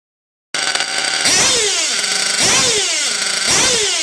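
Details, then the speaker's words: OFNA Hyper 7 buggy's O.S. .25XZ nitro engine, badly needing a retune: a shrill scream at high revs that hangs and surges instead of dropping straight to idle. "You'll hear it, at some points it'll drop and then it'll raise and all that. So what you want it to do is immediately, boom, drop to its idle."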